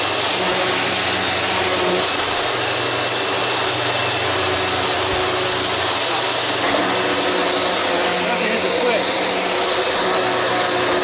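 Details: Sharp Twin Energy upright vacuum after a tune-up, with the brush roller run in and lubricated and the old filthy filters still fitted. A steady loud rush of motor and airflow at an even pitch, with no flapping or knocking: running smoothly.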